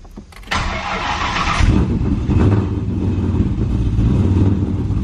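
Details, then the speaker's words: Nitrous V8 with the nitrous unhooked, first start of the morning, not yet warmed up: brief crank then steady even deep idle gradually firming up, air-fuel slightly rich; clean cold start, running much better than the day before. "wow it's running way better than it did yesterday suddenly tommen really really helped this thing out that's awesome"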